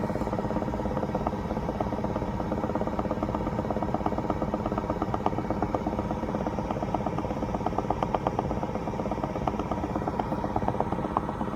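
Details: 2016 BMW X5 F15 engine running: a fast, fairly even stream of light pops, roughly three a second, over a steady hum. Bubbling/popping noise of unclear cause.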